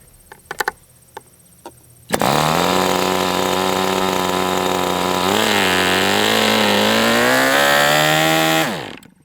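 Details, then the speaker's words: MDS 68 FS Pro glow engine on a break-in run, after low-speed needle richened, original glow plug not replaced: high buzzy single runs, wanders up in pitch, then dies after about six seconds; owner suspects an over-rich high-speed needle or a bad glow plug. "Is it because I richened that up so much that now this high-speed needle is really rich? Oh, the other thing I did not do is I did not replace the glow plug, so maybe we just have a shitty glow plug too."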